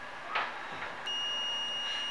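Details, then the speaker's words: Monster SoundStage S3 Bluetooth speaker that won't power on: meter in continuity mode gives a steady high beep on the power rail, showing a short; a chip, suspected PCM9211 encoder IC, heated up when voltage was injected. "e can flip it over and look at all the complaints you can hear the beeping there there's a short so there's a problem"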